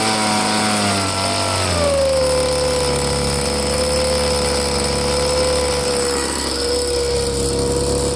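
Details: Two-stroke blower on fresh gas with Seafoam added, purge bulb pumped and choked to start: a steady buzz whose pitch drops and holds even, reluctant to throttle up. The carburetor may still need cleaning. Poor throttle response.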